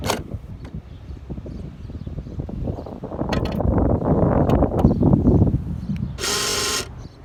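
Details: 2016 Honda Civic fuel door lock actuator gives a harsh, rasping buzz under a second long every time the doors are locked.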